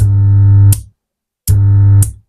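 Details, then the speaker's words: 3055 transistor amplifier after replacing a shorted output transistor, tested with a speaker. A loud, low, steady hum in two bursts shows a fault remains; the rear transistor is to be rechecked. Amplifier hum. "तो आप सुन पा रहे हैं य अभी भी इसमें humming का आवाज आ रहा है यानी अभी भी इसमें कुछ ना कुछ फॉल्ट है"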